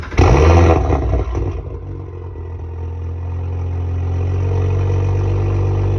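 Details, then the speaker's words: Audi S4 just fitted with six RS injectors, not yet tuned, no fault codes: quick crank catches cleanly and settles into a smooth, even, deep idle with no misses or knocks; normal start and idle. "idles crazy, yo. You hear that? That shit idles"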